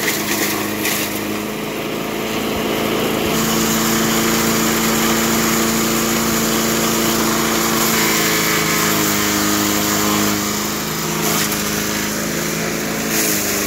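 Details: 1991 all-steel MTD 8hp chipper/shredder, a dump find with a Tecumseh HM80 cast-iron-sleeve engine, running after a new wheel and carb adjustment. Steady small-engine buzz with brief dips as it chews material, then picks right back up; healthy.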